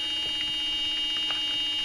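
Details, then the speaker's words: 2002 Ford Super Duty Power Stroke diesel glow plug relay, contacts cleaned, about 11 volts on both solenoid terminals: steady electrical buzz with engine off, relay solenoid chattering while energized; suspected faulty relay, voltage dropping out. "I've already checked it once, but we've got right at 11 volts on both sides of that solenoid. You can hear it making a buzzy buzz noise there."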